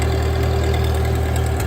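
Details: 1939 Ford 9N tractor idling after restart; steady low idle with even beat and faint hydraulic pump hum, no knocks or misses, charging and raising hitch.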